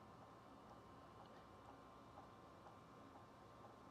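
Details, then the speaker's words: Ford Transit van diesel night heater running (rated 0.1–0.5 L/h): light steady ticking about twice a second over a faint hiss is the fuel dosing pump metering diesel normally; the pump slows once the heater reaches temperature. "So, the clicking is obviously this the the fuel pump pumping the the diesel. Um, and sometimes when it when it starts to get to temperature, you hear the pump slow down."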